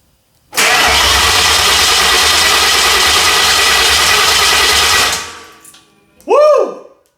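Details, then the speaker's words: Mercury Marauder with swapped SVT Cobra Terminator engine, first crank after the swap and first in at least 7 years: about 4.5 seconds of steady, even starter cranking, heard firing out of the headers. Even compression, no leaks seen. "Oh, sounded good. Woo! Nice even compression. You can actually hear it firing out of the headers."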